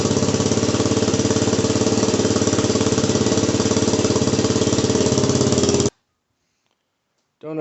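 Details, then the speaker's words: Cold start after repacking the CRF230F muffler (stainless screen, new fiberglass, RTV-sealed) fitted on a WR250R: steady, even, crisp single-cylinder thump, then shut off; owner thinks it sounds a little better, exhaust healthy, normal exhaust note. "know if you can tell the difference but to me it does sound a little better"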